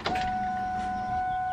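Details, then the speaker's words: Cobra that won't start, fuel pump heard after cranking: clean, steady high whine that never drops or strains, sounding different from before cranking; owner suspects the feed line pushed off in the tank, so the pump runs unloaded; fuel pressure not yet checked. "that doesn't sound like it's ever getting like resistance buildup I need to check fuel pressure but listen to it after cranking that is weird I don't know boys I wonder if it push the line off in the tank or popping those plastic lines or something"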